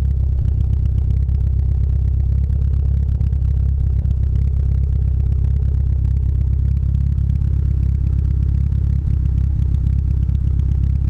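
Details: Mitsubishi Lancer Evo 8 running on 91-octane fuel: low, choppy engine rumble with an uneven beat and irregular stumbles about three or four times a second; misfire, cause suspected, not confirmed.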